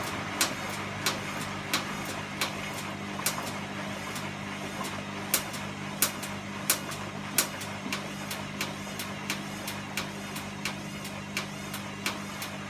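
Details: Sharp light clicks about every 0.7 seconds, fairly regular, over a steady low engine hum from a running vehicle; clicking noise.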